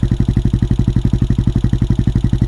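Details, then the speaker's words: CSC SG250 single-cylinder motorcycle: even, deep thump at about ten beats a second with no ticks or rattles; it runs smoothly and healthily. "And it didn't blow up. So that's a win right there."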